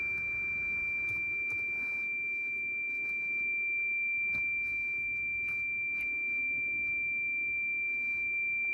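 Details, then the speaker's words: Toyota Land Cruiser with 2UR engine that cranks but won't start after running out of petrol (fuel pump primary circuit code): continuous high beep over cranking, caused by the ABS and traction warning lights. "तो अंदर जो है ABS की लाइट भी आ रही है और ट्रैक्शन भी लाइट आ रही है, क्योंकि ये बीप उसकी वजह से कर रही है।"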